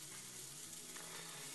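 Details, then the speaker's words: Zenith 25MC36 tube TV after repair, high voltage set about 24 kV with good regulation: constant fizzing frying hiss like power lines in fog; corona leakage over cigarette deposits on high-voltage parts despite cleaning. "This damn thing here sounds like a high tension line in the fog. There's still a lot of leakage there, but that's just due to all the cigarette deposit."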